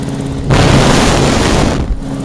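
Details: Small two-stroke single-cylinder engine just fully rebuilt, choke on: it fires up sharply and runs steady and even, no misfire or hunting.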